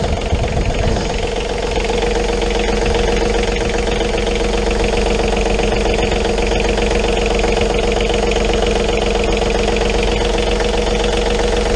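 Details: John Deere 3520 tractor diesel started after an oil change with John Deere 1540 oil, checking for leaks: catches quickly and settles into an even, smooth idle clatter with no misses or odd knocks.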